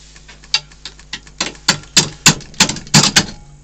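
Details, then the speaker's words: Wood lathe rough turning a large tree section at about 200 RPM: sharp uneven clacks about three a second as the chisel catches the blank's corners, then the piece stops dead. "see what I mean it just stops you just pull the Chisel out the way"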